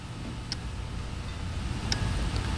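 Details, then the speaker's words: Car with an overheating problem, scan tool toggling the cooling fan on/off: sharp cooling fan relay clicks about once a second over low engine rumble with no fan running; relay likely supplying power but fan not coming on. "y'all hear that that's the cooling fan relay trying to turn that fan on so it's likely sending power supply to the fan the fan just not coming on"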